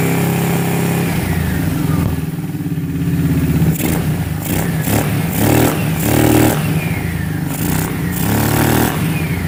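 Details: 2006 Kawasaki Brute Force 650 V-twin quad, warm, after resetting tight front valves (0.008 and 0.004 intake): uneven revs with ragged coughs and spitting pops; front carb backfiring.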